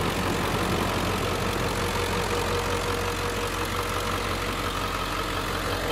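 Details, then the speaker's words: 2003 Ford Excursion Limited, 7.3 Power Stroke diesel, heard with the hood open: steady, even diesel clatter at idle with no misses, knocks or hunting; healthy engine. "it's a 2003 and it's the last year of the 7.3 power stroke diesel i mean that's it's just a great motor"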